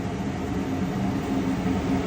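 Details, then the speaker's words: Planer dust collector blower motor, powered up by remote, planer off: even low hum, steady mid-pitched drone and airy rush, no knocks or scraping; takes a minute to reach speed, normal run-up. "You hear it come on. Hear it pulling all that power. Takes it a minute to get up to speed."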